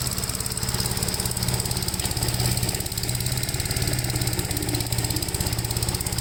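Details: 1957 Gravely with a smaller 12-volt battery fitted, mowing soaked grass: steady, even single-cylinder thumping holds its speed under load without sagging. The engine pulls strongly, runs healthy and cuts with power to spare.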